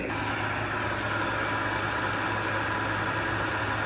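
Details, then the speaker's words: Garage-mounted 12K Frigidaire window air conditioner on high fan, heard from outside: loud steady hum with a rough, gravelly rushing over the fan, constant throughout, from worn fan motor bearings. "you can actually hear how loud this thing is from outside on high fan."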